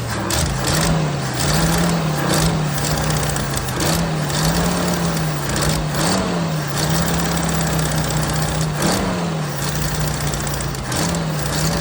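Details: 1979 Jeep CJ5 after sitting since 2019, running on old tank fuel with carb/choke cleaner sprayed in: engine hunts up and down every second or so, never settling; rough running, owner suspects carburetor and tank.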